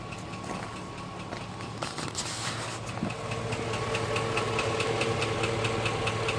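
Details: 2005 GMC Sierra at steady idle with a regular light tapping, about two to three knocks a second; knock of unknown origin.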